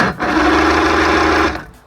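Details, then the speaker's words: 1959 Mercury Mark 35A outboard, unrun about 10 years, cranked on a rigged battery via ignition key: steady electric whirr about 1.5 seconds with no firing, then stops; turns over but won't start, no spark though power appears to reach distributor. "So the issue is I just don't have any spark. And from what I can tell, this is power going into the distributor."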